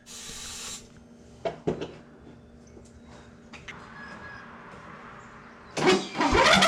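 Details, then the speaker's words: Free non-running Simplicity riding lawn tractor, ether (starting fluid) sprayed into the intake to test for spark and get it to fire. Near silence with handling clunks, then it suddenly pops and catches with a rough roar. Engine starts on starting fluid. "i normally don't use ether on these smaller engines which is quick start but in this case just to see if we can get the pop over i'm gonna try it out spray a little bit of ether right down"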